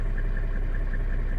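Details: 1995 Mercedes-Benz E300 diesel (W124), idle heard from inside the cab: even low rumble, steady firing, no knocks or stumbles; good oil pressure, temperature never passes 80°C even in traffic; healthy diesel idle.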